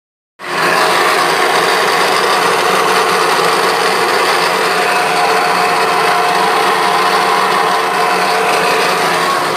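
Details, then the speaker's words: American Ice-O-Matic ice machine motor: constant loud rattling grind, mostly mid and high pitched, from a blown motor bearing; fix is pulling the motor and replacing the bearing. "pessoal máquina de gelo entico americana tava fazendo barulho rolamento do motor tava estourando tava estourado"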